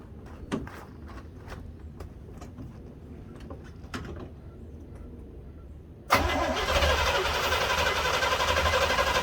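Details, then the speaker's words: 1968 Corvette with 1969 350 small block Chevy V8 and 1972 heads, cold start: loud busy idle with metallic rattles, some blue smoke and gas smell; cause unknown. "This car has a couple rattles. I know it sounds probably sounds bad."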